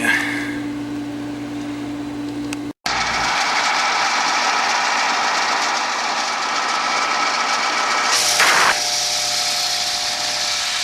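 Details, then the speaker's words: Aqua Comfort pool heat pump that won't heat water, running with panel open: harsh rattle about four knocks a second over loud hum; technician isolating source, suspects the fan; fan later judged junk, compressor won't start. "I'm just trying to isolate where the noise is coming from I think it's the fan"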